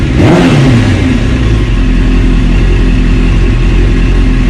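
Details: 1996 Suzuki GSX-R750, dropped and not run for about a year, after the petcock was cleaned out and the bike reassembled; a loud deep engine is held hard at high revs, with a crisp even note and no misfire or rattle. Normal revving.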